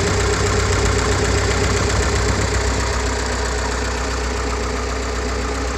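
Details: GAZ-69 with UMZ-421 four-cylinder after major overhaul (Kostroma piston group, contactless ignition, original carburetor, fuel pump and old intake manifold): even steady idle about four beats a second, no knocks or misses; healthy.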